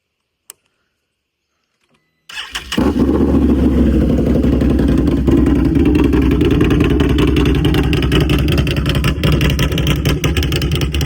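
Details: Can-Am Renegade 1000 ATV right after oil and filter change; catches after short crank, loud but steady even idle, no ticks heard though exhaust is loud; normal idle.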